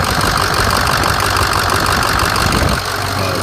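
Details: Ford diesel truck, about 107,000 miles, no-start diagnosis with wrong ICP sensor and suspect IPR valve; now running: steady idle with light diesel clatter, even, no misses or knocks, sounds pretty good.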